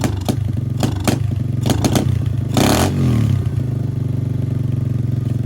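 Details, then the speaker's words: 125cc pit bike with a new 26mm Nibbi carburetor, after swapping jets: a steady idle, but on a throttle blip the revs rise, then sag and stumble. Off-idle bog, possibly because the engine was still cold. "All right, after swapping out the jets, I'm gonna try it again. It still sounds like it's bogging out. That could have just been because it was cold though."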